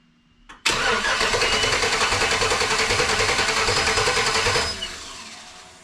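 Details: 1954 Bel Air rat rod tow truck V8 cranks steadily for about four seconds but never catches; crew later suspects it is sucking air, with a whistling heard, and it has no coolant.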